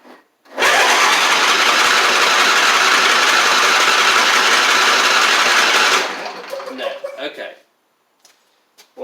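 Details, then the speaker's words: John Deere D140 riding mower, once blowing fuses, cranking on its old starter solenoid with gas in the tank: the starter whirs steadily for about five seconds but never catches. Fuel is not getting in; cranks but won't start. "let's see if it'll kick over with this yeah so it's not getting any gas in"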